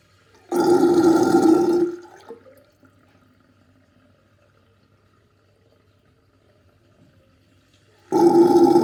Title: Very interesting sinkdrain with gurgling sound